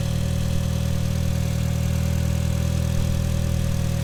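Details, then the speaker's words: MK4 Golf GTI after replacing the aux belt and tensioner to cure a tensioner rattle: smooth, even idle with a steady low drone, no rattle or chirp from the belt side; normal. "so I think the last thing to do is just run it up and make sure that it runs all good and then uh we're done"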